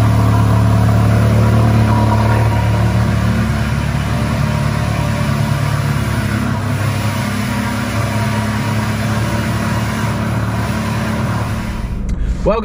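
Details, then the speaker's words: Ferrari 360 Challenge Stradale Spider V8, first fire-up after plenum chamber refitted with gaskets and coolant leaks fixed: deep, even rumble holds steady with no misses, ticks or knocks; normal running. "it's running and it sounded absolutely epic"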